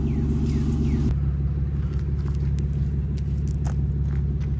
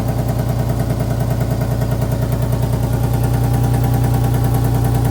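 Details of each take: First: Car idling warm after an exhaust leak and crooked header bolts were fixed: deep, even idle rumble with steady pulses and no puffing or ticking from the manifold; it idles cleanly. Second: Petrol engine with crooked header bolts, idling: rapid, even ticking puff over a low hum from an exhaust leak, heard before repair.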